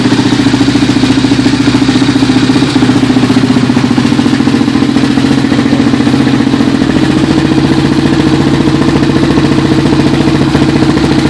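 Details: Suzuki LTR 450 single-cylinder engine idling after rebuild: steady even thump, no knock, tick or clatter; healthy.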